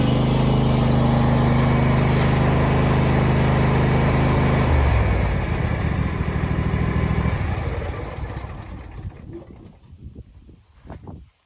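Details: Husqvarna LGTH 24V54 lawn tractor after muffler broke off and was welded back on, skid plate straightened: even V-twin putter with no leaks or rattles, then a clean wind-down at shutoff; repaired exhaust sounds sound.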